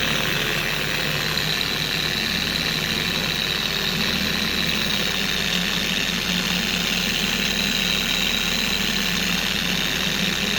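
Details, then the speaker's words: Four-year-old Carbon Collective DA polisher after its gear-head grease was replaced with red lithium grease, running on a primed pad: smooth, constant high whir with no scream, rocking or wobble; it now runs normally and much quieter. "To me, the polisher is a lot more quiet. It doesn't scream anymore."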